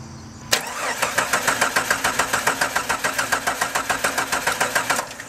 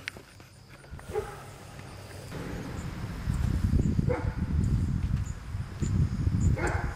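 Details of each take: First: 1997 Jeep Grand Cherokee, 4.0L inline-six: starter spins the engine evenly about three and a half times per second but it never fires, even with throttle opened; crank no start traced to a failed camshaft position sensor. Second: 1997 Jeep Grand Cherokee 4.0L inline-six after replacing the camshaft position sensor (distributor pickup coil) that caused a crank-no-start: low even rumble as it catches and settles into a steady run; fixed.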